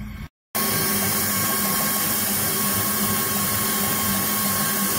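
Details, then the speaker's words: Ford F-250 with the hood open, idling. Customer reports heavy misfiring. A steady airy hiss like a pressure cooker and a faint high whistle sit over the even idle, pointing to a vacuum or air leak under the hood. A spark-like clicking is also noted near cylinders 5–8. "alcanza a escuchar amigos es estúpido por ahí tenemos una fuga de aire amigos"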